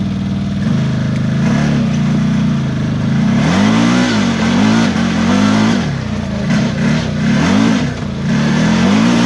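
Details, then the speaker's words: New CFMOTO Z-Force 950 HO EX on its first break-in ride, in 4 low while engine braking: engine note surges and drops in repeated waves as the clutch catches and lets go, off and on. Cause not confirmed. "Yeah, that's clutch is like off and on. Really kind of different than what I'm used to in the Razor. What's going on? Why does it keep doing that? It's only when it's like engine braking. When it's engine braking, it makes that weird noise or something in 4 low."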